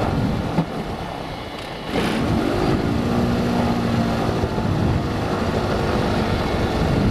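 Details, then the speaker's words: Lycoming fuel-injected Mooney M20J hot start just after landing: throttle cracked, mixture full out, then eased in. Cranks, catches about two seconds in, stumbles and runs rough and uneven, a dirty hot start. "okay kind of a kind of a dirty start but once you start your own airplane all the time you'll you'll see that you'll kind of get an idea of what it takes"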